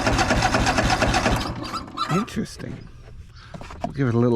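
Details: Craftsman DYS4500 riding mower, 26 hp Craftsman Courage engine, sat over a year; after cleaning a dirty vent, steady cranking about three turns a second that never fires; fuel starvation.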